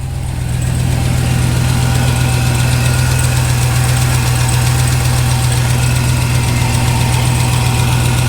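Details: Dodge RAM 1500 regular cab with swapped 6.2L supercharged Hellcat V8, first start, check engine light on; loud steady deep idle with light ticking about four per second, like lifters not yet pumped up (suspected, unconfirmed).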